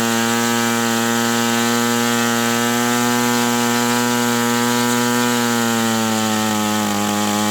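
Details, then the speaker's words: OS 120 AX model engine on a test stand, break-in run, tuned close: high, clean, steady scream that sags slightly near the end, with no sputter or misfire; normal running. "But this is a very nice engine. Very nice. And it's tuned pretty darn close."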